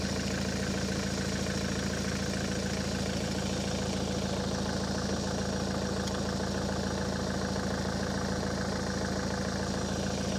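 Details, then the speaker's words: Ford S-Max 2.0 TDCi diesel, 2010, about 80,000 miles, idling after a fuel filter change and priming. Steady, even clatter of about three or four beats a second, no stumbling or hunting, hasn't cut out, no leaks: normal diesel idle. "Can't see any leaks. Quite happy with that, and it hasn't cut out either, so that's a positive."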